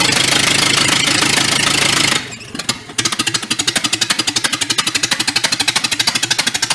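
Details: 1931 Ford Model A pickup, a barn find that sat for decades, on an early run: loud, harsh running with uneven sharp popping about three times a second. Cause unconfirmed.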